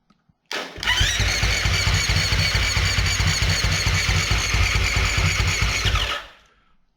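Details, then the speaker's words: Husqvarna FS450 that died suddenly on track, fuel and electrics checked: starter cranks about five seconds with a steady chugging beat, almost catching, but never runs; crank no-start, spark later confirmed present. "so i don't know if you can tell but there's a little moment where it almost catches so it sounds like we've got spark"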